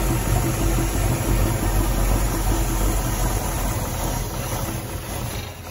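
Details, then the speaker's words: Barn-find 1969 Mustang Mach 1, 302 Ford small block with Erson cam, Holley 600 carb, C4 automatic, first run in nearly 10 years: V8 idle with steady tapping knock about three per second; oil change quieted it but knock remains, cause not found. "The motors are a little quieter, but the noise is still there, so the oil change didn't help."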